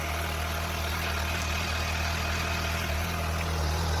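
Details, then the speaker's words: 2015 Suzuki GSX-S 750 inline-four, 14,048 miles, stock exhaust; smooth steady low hum and quiet even exhaust note at idle, no ticking or knocking; pretty quiet but sounds pretty good. "Alright, this is the stock exhaust. So pretty quiet. But actually sounds pretty"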